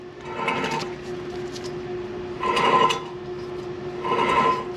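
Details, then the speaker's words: Subaru Outback AWD, hub rolled by hand with caliper and rotor removed during wheel hub replacement: three gritty rasping bursts about two seconds apart; wheel bearing is shot. "so yeah that bearing is shot"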